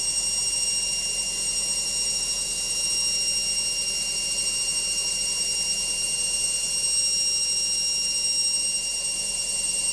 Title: LOGIK Washing Machine Final Spin NOISY